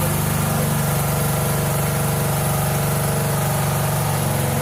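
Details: 1997 Mastercraft (MTD) 38" lawn tractor, 12.5hp Briggs & Stratton single, parked outside for years, fed from a hose fuel reservoir while low on oil: even single-cylinder thump about four per second with smooth low drone, idling cleanly on choke; normal.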